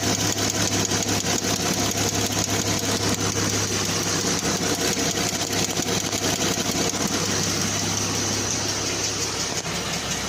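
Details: 2014 Jeep Wrangler at idle: fast, light, even tick throughout; owner suspects hydraulic valve lifter tick, unconfirmed.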